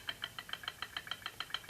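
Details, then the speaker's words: 2012–2018 Jeep Wrangler JK 3.6L manual with clutch pedal out: quick, even metallic clacking, about seven a second. The throwout bearing bounces because the worn clutch fork point has reduced spring tension, so it barely rides on the diaphragm fingers. "Okay, what that's doing is the bearing is sitting there bouncing, okay? Because it's barely riding against the throwout bearing or the diaphragm fingers itself."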